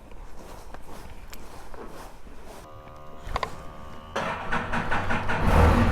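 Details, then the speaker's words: Can-Am Spyder cold start at about 22 degrees in winter, owner worried it wouldn't start: after a quiet stretch the engine catches in about four seconds and builds into a steady, strengthening idle; clean normal cold start. "That's why I was worried about the Spyder and whether or not it would start. It did. I'm going to get on, start it up, and then we'll"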